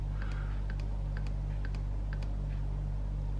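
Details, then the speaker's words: KTM/Husqvarna TPI two-stroke, oil pump priming cycle with Ipone Strawberry oil (Motorex recommended), engine not running: light, even ticks about three a second over a steady low hum; pump working normally. "I don't know if you can hear it, but pump Slowly And it's Ipone oil"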